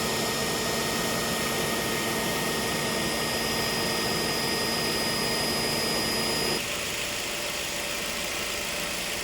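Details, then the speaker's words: Ford Focus, about 10 years and 93,905 km, AC not cold, leaking O-rings and compressor oil at compressor connection: harsh steady whirring roar over idle, dropping near the end as the compressor cuts out; noisy AC compressor before repair. "คันนี้คอมแอร์มีเสียงดังนะครับ"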